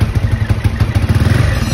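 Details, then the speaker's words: Vf3i motorcycle with IKK jet rod and Rapido Racing exhaust, idling: loose, uneven top-end clatter over a lumpy idle from the cylinder head; cam problem, so the owner plans a new cam and new head, otherwise very quiet. "Cuma dekat aku punya head sini lah, kalau korang dengar tadi dia punya bunyi head tu, dia ada masalah dengan dekat bahagian dia punya cam tu. Jadi bahagian cam tu nanti kena tukar cam baru, head tu tukar yang baru punya, nanti baru okey lah."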